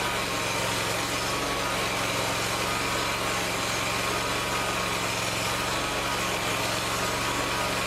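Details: Lawn tractor after installing an electric fuel pump to fix a fuel problem: small engine holds a steady, even hum with no stumbling or surging. Fuel delivery is now fine.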